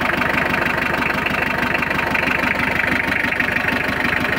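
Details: Mitsubishi L300 diesel, started after glow-plug preheating following clutch, clutch cable, clutch master and tie rod end replacement: even clatter about three beats a second, steady, no misses or belt squeal; normal idle.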